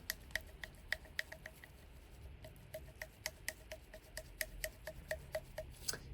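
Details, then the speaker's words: LG 10.5 kg washing machine knocking for about two years, right shock absorber mount worked by hand: sharp irregular clicking knocks, about three a second; loose mount suspected as the cause, to be fixed with super glue. "it's giving knocking. It's knocking. Right. So, it's got to be this has got to be the problem."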